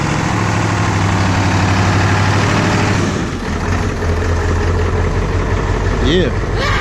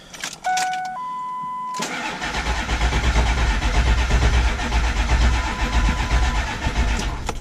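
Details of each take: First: 7.3 diesel truck that ran out of fuel, started after refueling and priming the system; catches and settles into a steady, even idle with a low drone and no misses. Normal idle. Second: 7.3 diesel truck run out of fuel, after refueling: chimes, then slow, laboring crank about two turns a second that never catches, batteries fading; crank no start from air in fuel system.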